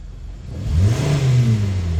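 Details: 2014 Hyundai Sonata with P1326 knock sensor code and knocking, right after the code was cleared and the flashing light stopped: engine picks up cleanly from idle to a steady high rev, no knock on this blip; owner says the limit under 2 on the tach returns once flashing resumes.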